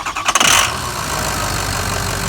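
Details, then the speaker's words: Ford F-550 Lariat diesel after rebuild with fresh engine, turbo, engine harness, injectors and balanced rotating assembly, manual shift: short crank catches quickly, then settles into a steady, even idle with no knocks or misses; normal start and idle. "Let's see if it starts. It will. Fresh engine, fresh turbo, engine harness, injectors, balanced rotating assembly."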